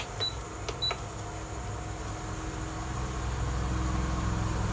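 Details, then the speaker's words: Philips induction stove model 4929 after repairing the start button fault (on/off button in series with other buttons); button beeps then steady low fan hum with faint buzz as it heats a vessel, working normally. "तो देखा जाए तो हमारा induction stove एकदम बिल्कुल अच्छे से काम कर रहा है, गर्म होना शुरू हो गया है और इसके सारे बटन काम कर रहे हैं।"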